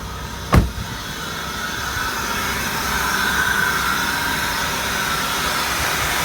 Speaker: Sounds like a typical 3.8.